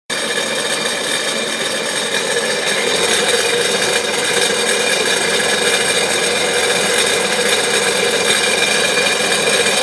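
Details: Sea-Doo RXP-X 255 RS out of the water: busy metallic supercharger rattle over a steady idle, a few short throttle blips near the end; normal rattle.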